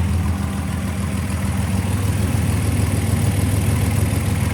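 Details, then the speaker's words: Fully rebuilt VW GTI VR6 with new double-resonator exhaust; owner thinks manifold leak fixed, alternator noises gone; deep even idle pulse, smooth rumble, no ticking or puffing. Normal idle. "I think I fixed the manifold leak letting this suck down no more noises from the alternator awesome"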